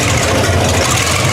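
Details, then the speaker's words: 1960 GMC V12 with new plugs, deep idle with an uneven, lumpy beat as one cylinder drops out now and then; the miss was traced to one loose, under-tightened spark plug. "Well, did you guys hear what I hear? The V12 has developed a miss. And I noticed that a while back when I started it up."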